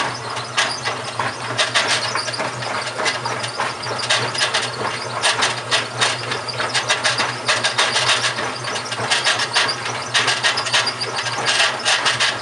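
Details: GE washing machine, model WHDSR315DWW, bought 2006, makes harsh gritty grinding in uneven surges about once a second while running; owner suspects the transmission is going bad, not confirmed.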